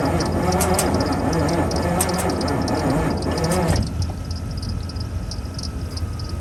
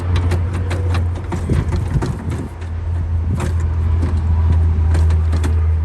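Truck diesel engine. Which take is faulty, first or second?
first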